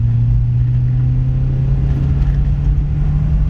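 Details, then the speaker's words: Cheap used beater car on a test drive at full throttle, with a big downshift and the check engine light on: deep, even drone, steady low note, no knocks or misses. It is down on power but runs healthy and shifts well. "definitely doesn't have much in the power department but it seems to run good sounds healthy shifts good at full throttle that's a good sign"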